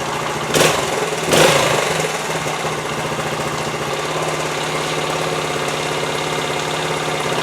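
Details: 1973 Honda TL 125 single-cylinder after carburetor rebuild for float-bowl overflow fuel leak; two kicks with choke half on, then catches into steady even low-putter idle with no misses; sounds good for 50 years old, no leak overnight.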